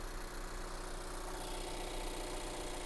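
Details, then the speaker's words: Scion iA at a salvage auction, oil checked before starting, at idle: low, steady, even beat with no knocks or misses, smooth apart from a slight shake and minor engine movement, possibly engine mounts. "as far as the engine goes it's pretty smooth I mean there is a little bit of a shake to it easy to change your mounts right"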